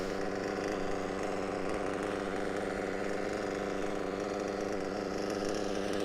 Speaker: A lovely Reds WR7 Diamond Edition engine running an absolute treat inside a Mugen MBX6T whatever it's called. Pleased with that, very, very pleased.